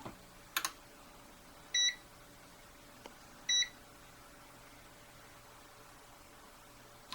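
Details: Multimeter that auto-senses a lead in its amp jack, misbehaving. Two short high beeps about two seconds apart over a faint steady whine; the fault is unknown.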